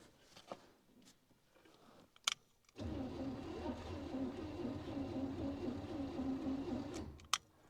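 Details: 1967 Chevrolet Caprice sat sunk in dirt for 30+ years, points gapped at 16 thousandths, spark at plug checked: starter turns the engine over evenly at about four beats a second for four seconds but it never fires; crank, no start.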